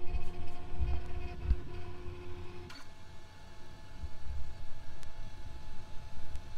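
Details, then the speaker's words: FLSUN Q5 delta 3D printer while printing: soft steady fan hum loudest, faint stepper motor whirring, extruder second loudest, no knocks or grinding; normal printing noise. "the loudest thing on here is this fan you can also hear these motors going a little bit and the second loudest thing is probably the extruder which is over"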